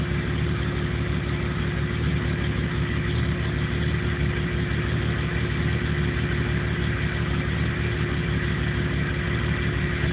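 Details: 1997 Jeep Cherokee with no trouble codes that won't idle right and dies under power; low uneven idle with an irregular lope and wavering pulses instead of a smooth beat. Rough idle, cause unknown.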